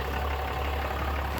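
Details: Diesel engine idling after an oil and fuel filter change: a quiet, low, even hum with no knocks or roughness, and no leaks at the oil filter canister or drain bolt. Normal idle.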